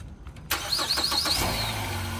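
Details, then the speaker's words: 2010 Ford Fusion, jump box connected: brief crank, then engine catches quickly and settles into a steady idle; starts right up on the jump. "Started right up with a jump."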